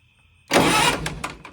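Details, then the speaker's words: 1960 vintage military generator, with 12 volts confirmed at the coil: a brief burst of cranking that spins without catching and dies away, no firing at all; crank-no-start, ignition points suspected, not confirmed. "Nothing. You would think I was getting a spark. Oh well."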